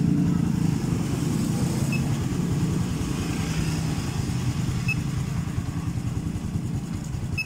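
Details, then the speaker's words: Honda Blade FI motorcycle, single cylinder, after TPS sensor replacement and intake valve clearance loosened, compression still weak. Steady, even putter with no misses or hunting. Idle and performance are much improved. "Tapi untuk dari segi langsam ataupun performa, ini motornya sudah jauh lebih baik daripada yang awal datang tadi."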